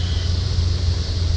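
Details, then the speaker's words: 1979 Ford Pathfinder Quadravan 4x4 with a new carburetor just fitted; it fires right up to a deep, steady V8 idle with an even beat and no ticks, knocks or misses, and good oil pressure. A tune-up and some vacuum leaks are still pending. Normal idle. "Fires right up. Motor sounds great. It's even got good oil pressure."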